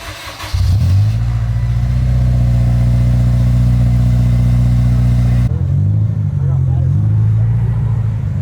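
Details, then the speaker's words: Acura RSX Type-S just fitted with a PLM exhaust: quick crank, catches right away and settles into a deep, even idle with no misfire or rattle; normal start and idle. "Anyways, we're gonna turn the car on. As you guys can see, it's already installed."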